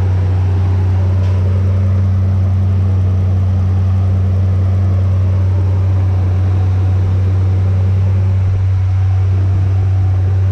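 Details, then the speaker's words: Nissan Navara VG30 V6 first start after swapping 180cc side-feed injectors for LS2 42lb 440cc top-feed injectors, tune updated by laptop: steady, even low hum with no misses, knocks or hunting; normal idle. "I've plugged my laptop in and told it the bigger injectors, so let's see if it starts. Well, it's running."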